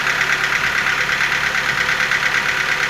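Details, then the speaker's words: Nissan QG15DE engine at cold start: a fast, fairly even light ticking over the idle that grows stronger, then fades as the engine warms while some ticking remains; cause unknown. "все сильнее, сильнее начинает вот этот стук проявляться. Надеюсь, слышно. По мере прогрева он проходит, но цокот остается такой."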